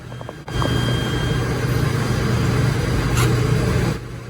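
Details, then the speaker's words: Mercedes OM642 3.0 diesel, newly installed swirl flap motor driven by scan-tool active test, key on: short clean motor hum with no grinding or binding; the motor is good. "Everything's actuating the way it's supposed to be. It's pretty cool. So, now we know our motor is good."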